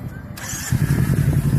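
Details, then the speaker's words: Kawasaki Z300 after rebuild with a roller-bearing (roletado) crankshaft and connecting rods to fix engine noise: fires and settles into a firm, even low beat with no knock or rattle below; normal running. "Olha o barulhinho. Né? Z300 virabrequinho roletado."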